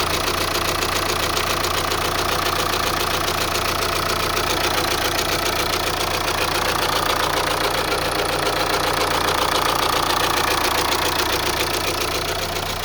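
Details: Opel Insignia B, B20DTH diesel, cold start. A steady, even metallic rattle at about 2.5 per second over idle; chain or belt suspected, source unclear. Cold start idle rattle.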